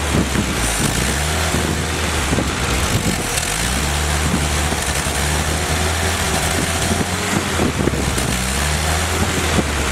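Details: Rebuilt Willys F134 engine on a test stand without transmission during break-in, cycled about 800–2,200 rpm, about 40 lb oil pressure, 170°: revs up and settles repeatedly in a clean, even pull, wind in background, no knocks; normal running.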